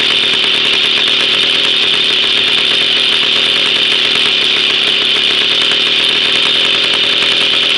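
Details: Jawa 50 type 05 moped, 1966 two-stroke engine, very first start after 20-year storage, rebuild and assembly, no cold break-in, original contact-breaker ignition and never-replaced coil; high steady buzz without misses or rattles, running cleanly: normal running.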